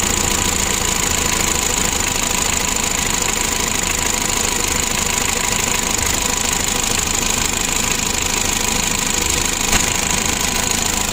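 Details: Mitsubishi L300 diesel, about 2011, during injection pump adjustment (screw turned about three turns) as the engine warms: harsh clattering idle with irregular knocks about twice a second over hiss; knocking rough idle, somewhat improving.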